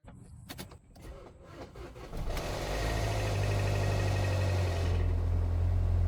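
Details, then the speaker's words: Neglected VW Passat, cold start: cranking, then catches and settles into a loud fast metallic rattle over idle that comes and goes; suspected timing chain tensioner or oil filter drain-back valve, bigger worry possible rod bearing knock; unconfirmed. "That was loud. This loud rattling on startup could be a failing timing chain tensioner or maybe oil filter drain back valve, but I'm more concerned about engine knocking at this point."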